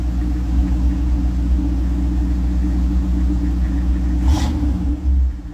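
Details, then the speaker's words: Chevrolet Camaro idling after about two weeks sitting: deep, steady idle rumble; a quick light throttle blip near the end and the revs fall straight back down; healthy, even idle. "vamos a escucharlo ahora si le doy un pelín al acelerador Se bajan las revoluciones ya lo veréis"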